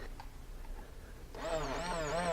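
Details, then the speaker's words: Ford Focus with a crank no-start: a new fuel pump is bench-tested very briefly, going from quiet to a steady high electric whine with slight wavering as it spins up cleanly; the pump later proved the wrong part for this car. Normal fuel pump run. "so we're just going to test this real quick just to make sure that this new pump is good"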